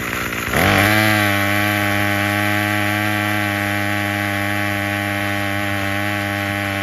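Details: Craftsman 27cc curved-shaft string trimmer 316.711170 after repair with new recoil assembly, fuel filter and fuel line, on fresh fuel: pulls over and catches within a second, then steady even high-pitched buzz, no misses or surging; fully functioning.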